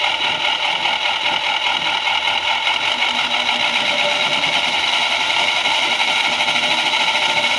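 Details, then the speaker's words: Explosionproof brakemotor for a Quincy compressor run at 30 Hz: steady reduced-speed hum with a continuous hissing rasp; the brake hub or fan appears to scrape the motor housing, likely not a bearing noise, and it works electrically. "That doesn't sound good at all. Looks like the brake hub is dragging against the bottom of the motor housing."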